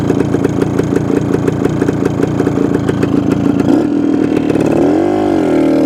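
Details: 1972 Suzuki TS250 two-stroke, with the 170 jet left in for a fuel delivery problem: crisp ring-ding idle and a quick blip that picks up and drops back smoothly without bogging; sounds more responsive.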